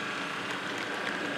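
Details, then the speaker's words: Model locomotive setting off: harsh, rough rasping noise over the running note, steady, ammeter not going mad; motor already stripped, shaft corroded at bearings, nothing fixes it. "and the amp meter is not going mad but there is a problem with the motor sounds like and believe me I've um I've taken the motor out I've already stripped this one down discovered that the motor is making this horrible noise there's nothing I can do will fix it"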